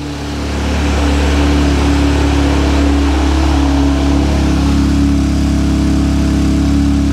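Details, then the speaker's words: Audi S1 running on starter trigger in neutral after fitting a complete replacement wiring loom (old loom was shorting), no coolant in it: steady, even, smooth low drone with no knocks or misses; engine sounds good. "when I put some power to the trigger ta-da it runs and it sounds good"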